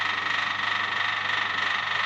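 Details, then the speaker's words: Maggot feed grinder with type B belt, filled to the top under load: steady whirring hum with faint high whine; output faster and better (10 kg in about 15 min vs nearly 1 hour) but sounds coarser than before. "Nah, ini keluarannya jauh lebih baik daripada yang kemarin, kecepatannya juga lebih baik. Hanya memang suaranya agak kasar ya teman-teman, lebih halus yang kemarin."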